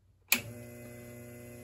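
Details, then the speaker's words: Treadmill DC motor on an SCR variable-speed controller with AC and DC chokes, at its lowest setting, about 900 rpm. A click at switch-on, then a steady, even low hum with no pulsing or bump start: normal low-speed run. "Lowest setting running smooth. We're not doing that bump start. We can easily crank it up."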